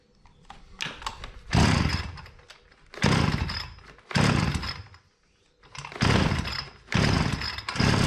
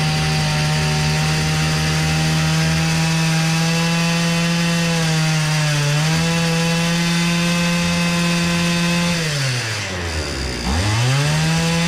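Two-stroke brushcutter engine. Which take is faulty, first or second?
first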